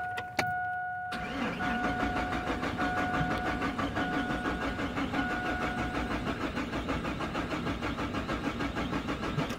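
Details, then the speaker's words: Chevrolet Silverado/Sierra/Tahoe/Suburban with a 4.3, 5.0 or 5.7 engine, 1996–2003: starter cranks evenly at about three beats a second but it never fires; the ignition pulse signal is now present but there is still no spark, and a damaged computer wire is suspected. "ok ahora no pues lo más seguro no hay chispa todavía pero si ya tengo pulso"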